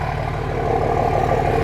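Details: 2005 common-rail Cummins diesel in a 2008 Ford F-350 dually, warming toward 180°F oil temp: steady even idle clatter with a smooth regular beat, no misses or knocks, no smoke; runs better than in the Dodge.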